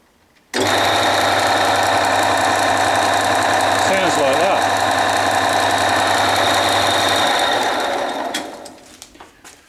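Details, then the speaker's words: Lathe steady rest on its first run: harsh, rough rattling drone beating about four times per second as the spindle turns; metal flakes seen coming off its three small bearings, owner first thought they need replacing, later cleaned and oiled them instead. "looks like the steady rest bearing is going to the bearings need replacing"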